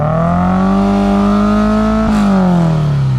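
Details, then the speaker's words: Toyota MR2 (SW20) after throttle body cleaning, throttle cable sticking so throttle stays open, owner wonders if coolant bleeding is related: raised idle drifts up and won't settle; high idle from sticking throttle. "So this is all coming back off again because the throttle cable keeps getting stuck, and then when we turn the car on, the throttle is staying open and the lead keeps coming off."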